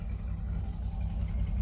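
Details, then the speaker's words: 2005 Chevy Silverado 2500 6.0 V8 with unknown history after sitting. Low, lumpy idle with dropped pulses, missing at idle, with a rich tailpipe smell and a flashing check engine light. Owner suspects an exhaust or manifold tick, not lifters; cause not found. "She's running a little bit rough, it looks like."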